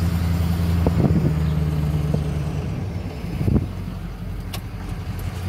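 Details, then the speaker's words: Flatbed truck driving, previously shaking above 1000 rpm: steady low even engine drone under road noise with a few stray rattles; runs far better, normal running. "it runs a lot better than it did before thousand times better"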